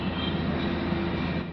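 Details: Renault Kwid after repair of high engine rpm and DTC 011516 coolant temperature sensor fault. A steady horn tone holds about 1.5 seconds and cuts off cleanly, so the horn works properly.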